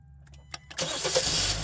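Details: Hyundai with an intermittent no-crank, after the shift cable was adjusted so the neutral safety switch engages in park/neutral: a few clicks, then a quick crank catches cleanly into a steady idle. Normal start.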